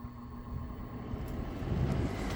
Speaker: All righty. It worked. It was the motor after all. As you can see, it is spinning.